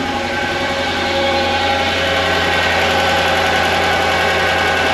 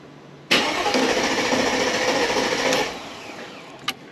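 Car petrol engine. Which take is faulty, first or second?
first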